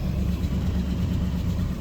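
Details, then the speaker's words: 1979 Lincoln Mark V idled down: low rumbling idle with an uneven, choppy pulse, a misfire; owner suspects a plug wire not fully seated, or possibly an exhaust leak. "it has a bit of a misfire i wonder if i didn't plug in one of those cables all the way yeah something's up with that"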